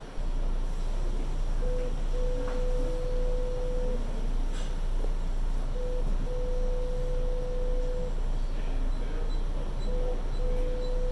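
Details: Subway train at Times Square–42nd St downtown local platform, IRT Seventh Avenue line, January 2022: steady mid-pitch electronic beep repeating in long pulses about every four seconds over low train rumble; cause unknown.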